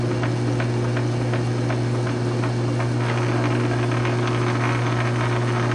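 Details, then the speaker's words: South Bend 9-inch lathe converted from Model B change gears to Model A quick-change gearbox, slow test thread cut; even steady gear hum with light regular ticking, no knocks or grinding, thread pitch correct: normal gearbox running. "So Gearbox works out great. Hell of a lot easier than change gears."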